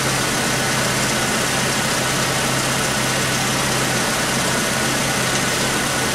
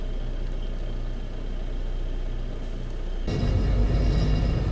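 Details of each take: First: 1996 Chevy S10 2.2L four-cylinder, over 260,000 miles, with codes P0200 and P0302 and injectors already addressed. It runs better but still idles unevenly with a recurring dead pulse and popping, a cylinder misfire not caused by an injector. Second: 1996 Chevy S10 2.2 L with over 260,000 miles, sat over two years, driven after injector circuit checks for misfire and P0200; steady low rumble that picks up evenly under acceleration with no misfire stumble, running fine.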